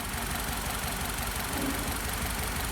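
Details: Nissan Tiida 1.8 16-valve petrol idling: uneven, lumpy low thud, a misfire from an ignition coil damaged because the spark plugs had not been replaced.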